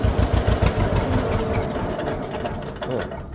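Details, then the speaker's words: Newly bought tractor restarted in neutral with the clutch out, heard from the driver's seat. A slow two-cylinder putt-putt stumbles unevenly right after starting, then steadies into a smoother beat; a brief hiccup after the start. "she didn't like that there she go what her deal was she didn't like that for a second"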